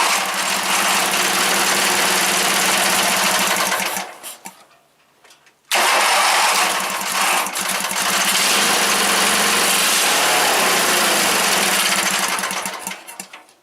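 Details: Briggs engine on a Wheel Horse GT-1800 garden tractor, started after choking and priming, choke backed off: runs, cuts out for a second or two, restarts and surges unevenly; rough running, carburetor likely needs rebuilding.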